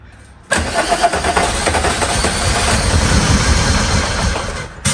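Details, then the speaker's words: VW Mk2 Jetta with swapped VR6 (originally turbo diesel), first start after fuel-injector troubleshooting, a replacement starter and a forgotten fuse-box plug reconnected; fires straight up and settles into a steady, even idle, run briefly since power steering isn't sorted; normal start and idle. "oh oh yeah baby oh okay i don't run too long because i don't have the power steering situation but sweet"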